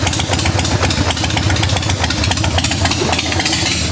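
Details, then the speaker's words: 1990 Harley-Davidson 883 EVO Sportster after reinstalling intake manifold and Keihin CV carburetor and fitting Ultima single-fire ignition, just started on choke: uneven loping V-twin beat, about three to four pulses a second, steady with no whistle; normal idle. "Sounds like it's working just fine. Sound good to you? Yeah."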